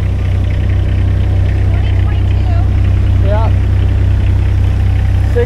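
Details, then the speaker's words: Small roller with 34 hours, apparently brand new, bought unseen at auction, idling after start: deep, steady diesel idle with an even low thrum, no knocks or misses; healthy. "hey it runs"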